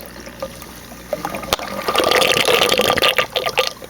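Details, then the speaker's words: 150-gallon aquarium Reef Octopus overflow box after adding 3/8 hose barb air lines with zip ties, plus silencer lid; water trickles steadily with light splashing, no loud air gurgle or slurp, draining quietly. "see they silence all the airs being uh drawn through here or escaping through the uh through these 38 Airlines and then with the uh the uh Reef Octopus silencer lid and makes it even uh quieter"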